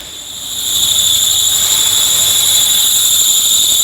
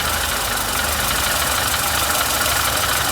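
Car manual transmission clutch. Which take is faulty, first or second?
first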